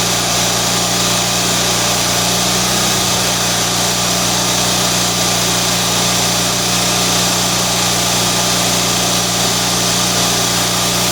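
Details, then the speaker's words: Kohler Magnum M18 from Cub Cadet 1882, rebuilt, warm on engine test stand: steady even low idle about 1200 rpm, no knocks or misses; high idle about 3600, oil pressure about 45 psi at idle. "and our high idle is set at about 36. you saw it about 35 too there but it'll go up to 36 once it sits there for a second uh our oil pressure is looking good at idle we're at about 45 psi at idle that's good"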